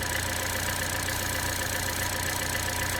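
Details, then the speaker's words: Chevy Trax/Cruze/Buick Encore with P0171 bank 1 lean code, top cover off: steady idle with constant airy hiss from a hole in the valve-cover PCV diaphragm letting unmetered air in; fix is valve cover replacement. "so there's a little hole right here on top of this diaphragm that starts to leak so what we're gonna do is start the vehicle up and see if we can hear it"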